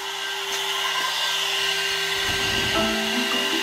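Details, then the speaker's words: Air-cooled 1.5 kW 110 V CNC spindle on a 2.2 kW VFD during a five-minute run at full 24,000 rpm, showing how loud it is: steady unwavering high whine, clean constant tones, no rising pitch or roughness; normal full-speed running. "so we're gonna run this for five minutes i'll be back after five minutes so from here you can also have idea how loud is the air cool spindle"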